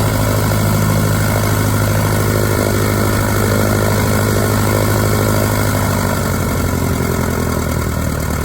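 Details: 1946 J-3 Cub engine on its first run after a four-year restoration, once the fuel lines were primed: a smooth, constant propeller drone with an even firing beat and no stumbles. Ran great, with mags and carb heat checking good. Normal engine run.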